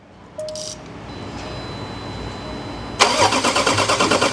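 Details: 2016 diesel Range Rover that died while driving: the starter cranks at an even beat of about three pulses a second but it never fires. Crank, no start, caused by a catastrophic CP4 pump failure that spread metal shavings through the fuel system.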